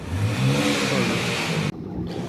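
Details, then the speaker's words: VW Vento after repair of knocking caused by low engine oil, with a new clutch fitted and the gearbox cleaned: the engine revs up smoothly with an even note and no knocking, then cuts off; sounds healthy. "Knocking का problem तो start करके दिखलाए। देखिए knocking का problem सब खत्म हो गया।"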